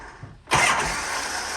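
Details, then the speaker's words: Shovelhead chopper with S&S Super E carb after re-jetting and new throttle and idle cables, in neutral with enricher on: starter spins steadily but never catches; hard start, cause not found. "so what's the combination to start this thing it's still a mystery it's one of the I don't know what it is you know sometimes it likes the enrichment sometime it doesn't"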